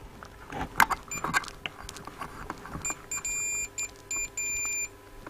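Continuity meter beeps come in short, uneven bursts as the plates move, showing the tuning capacitor plates intermittently touching and shorting.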